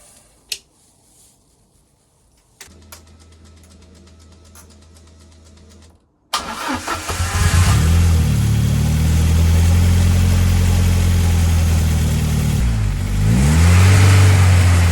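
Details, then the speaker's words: Ford Escort Cosworth before a road test cranks, catches and revs with an uneven stumbling exhaust beat and a mid-rev dip, a misfire on cylinder number 1; cause not confirmed. "Oh man, my heart failed then when that started misfiring."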